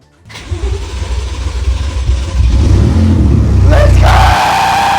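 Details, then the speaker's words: BMW F80 M3 rebuilt from scratch, first start after fitting a new ground cable to replace one likely snapped during drivetrain removal: starter turns briefly, engine catches cleanly into a deep steady idle, then a quick blip; fault fixed. "Let's go! Yes! That was the issue! Listen to that thing. Everything works!"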